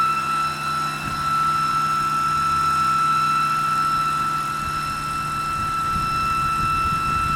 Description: My E92 has developed a loud whinning noise coming from the engine bay.